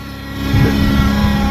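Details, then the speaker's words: 62TE transmission, 300k miles, codes P0944 and P1790, engine just started: steady droning whine holding pitch under the engine as it picks up; loud transmission, front pump failure with debris suspected, not confirmed. "Yep, like I say, I can almost guarantee you she have a front pump failure and a lot of trash in her pants."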